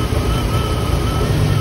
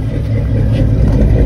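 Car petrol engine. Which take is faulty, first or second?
first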